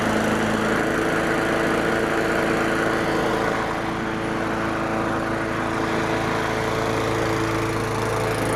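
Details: Craftsman 917.388834 push mower, Briggs & Stratton Classic flathead, after carburetor work and priming, blade sharpened, possibly wrong OHV-type spark plug: runs good with a smooth, even steady hum at constant speed, no missing or surging.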